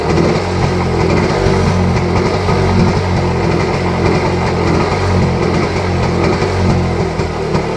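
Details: Rajdoot 175 two-stroke motorcycle, picked up for restoration, after cold start: rough buzzy idle firing steadily, no obvious knock or rattle; normal idle.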